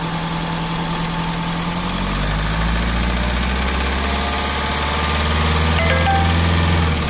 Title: XUV 500 W8 engine noise.